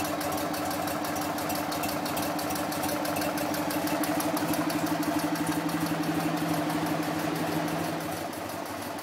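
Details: BMW R50 twin motorcycle on its first start after restoration, fan cooling it: an even, steady beat of about four pulses a second with a faint constant hum and no misses or knocks; idles healthy.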